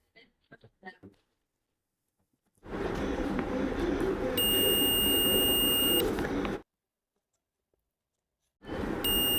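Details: Continuity test on a 11.8 V DC 775 motor armature, one worn carbon brush: two sustained high multimeter beeps over handling noise, each over a second long; coil windings unbroken, no break in the armature coil.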